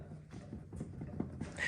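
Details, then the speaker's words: 2022 Can-Am Maverick X3 XRS Smart Shox on a lift, wheel turned: uneven knocking and clunking ending in a brief high squeak from bad wheel bearings. "yeah those are bad wheel bearings we'll take care of that another day"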